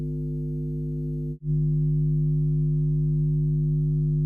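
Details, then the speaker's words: Jamo D7 THX Ultra 2 subwoofer after installing a balanced XLR input and reassembling it: a steady low mains hum, strong around 150 Hz with stacked overtones and one brief dropout. Rewiring and adding or removing the ground wire didn't cure it. "no i wasn't expecting to hear that i soldered everything exactly the same way as i did when i was testing at this point i lost my ground i couldn't understand what was causing the main scum"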